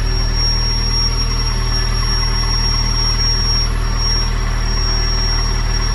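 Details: C5 first start-up, on a jump: a constant high whistle over a steady idle that sounds like air being drawn in. A manifold vacuum leak is suspected, not confirmed.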